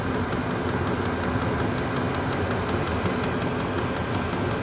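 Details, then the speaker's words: Chinese diesel heater with blue controller warming up, just beginning to blow warm air, not yet fully hot: steady fan roar with soft regular fuel pump ticking about five a second; burner warming evenly, normal running. "And now that's beginning to blow out warm air. It's not dead hot at the moment, but it says blowing warm air."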